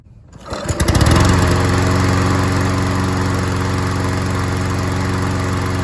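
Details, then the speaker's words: Troy-Bilt self-propelled mower after a new carburetor gasket. It starts and settles into a steady, even drone with no surging, hunting or misfires, and it mows without hesitating: running healthy. "Well, I'll have to Hey, it mowed really good. It didn't hesitate or struggle or anything like that. It mowed really, really well."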